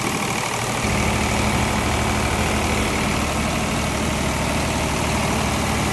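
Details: Water-damaged diesel engine rebuilt single-handedly and started after reassembly: steady, even diesel clatter at idle with a smooth firing beat and no knocks or misses, running well.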